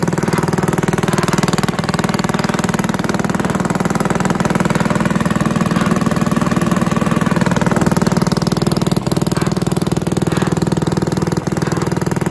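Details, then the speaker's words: Villiers 10 petrol engine on old Barford cement mixer, first start: steady even thump about four beats a second, no misses or knocks; starts easily, runs well, though compression not excellent and fuel seems to run through even with tap off. "oh that's running that's good that's the stars you can hear that running maybe one of the easiest engines i've ever come across"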